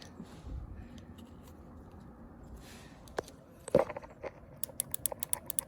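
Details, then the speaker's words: Fuel injector after about six months sitting, pulsed from a battery through an on/off switch via the factory fuel rail; crisp, evenly spaced ticks, normal clean injector clicking. "I'm testing the fuel injectors and this this engine's been sitting for about 6 months but if you can hear the The Click"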